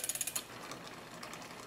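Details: New bike build, front derailleur adjusted close with rubbing backed out: a few quick ratcheting clicks, then soft even whirr of chain over sprockets, no rubbing; normal drivetrain noise.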